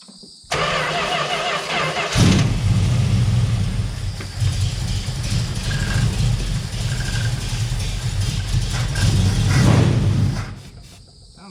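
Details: 1971 Plymouth Valiant Scamp, first run after 16 years parked: cranks a couple of seconds, fires and settles into a steady idle with a short rev blip, no knocks or bangs; no heavy smoke or big leaks; normal running.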